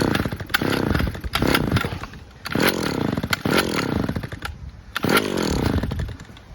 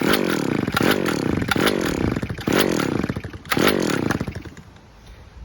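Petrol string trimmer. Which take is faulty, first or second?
second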